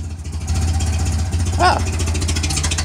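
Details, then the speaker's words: 1961 Land Rover Series II, stone cold, hand-cranked with full choke, before new muffler install after old one fell off: loud raw low idle drone with sharp exhaust pulses, no silencing; loud exhaust from missing muffler. "yeah pretty loud I push the choking all the way"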